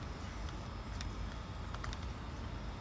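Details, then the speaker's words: Niftylift HR21 hybrid with Kubota engine that won't crank: glow circuit relays click normally during glow phase, then nothing on start; starter or starter signal suspected. "with the glow I can hear the relas are clicking go to start nothing happens"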